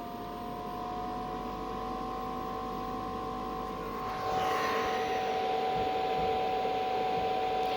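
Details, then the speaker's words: 5-8 kW diesel heater shutting down after test run, strong diesel smell: steady blower hum stepping up midway as fans wind up to cool the heater; normal cooldown run-on. "I hear the fans winding up, obviously just to cool the heater down. That's good to know."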